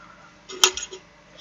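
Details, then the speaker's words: Gladen RC1800c1 car audio amplifier tipped by hand: a few sharp metallic clinks, "gling gling," from loose clips that have come off and are rattling around inside the amp, which someone had apparently opened before. "Tout ce que je sais, c'est que dedans il fait gling gling gling quand je l'ai baladé."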